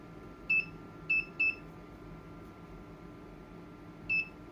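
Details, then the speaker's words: Sony PlayStation 5 power supply under repair, possible killed MOSFET, load raised to 100 W: four sharp high-pitched chirps at irregular gaps, seemingly from resonator tank or large inductor; coil chirping from burst-mode switching. "oh uhoh it made a funky sound oh I don't like that I do not like that sound uh let's turn this guy off the hell um yeah that's not good I don't know why it's making that sound that's really strange it's definitely sound it definitely sounds like it's coming from the big the resonator tank or this big inductor"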